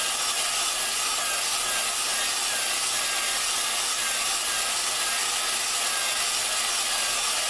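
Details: Lapping a valve into its seat with a drill and grinding compound on a 4.7 Dodge cylinder head. A steady, gritty hiss without pauses; the compound is cutting the valve against its seat and the contact ring is turning dull.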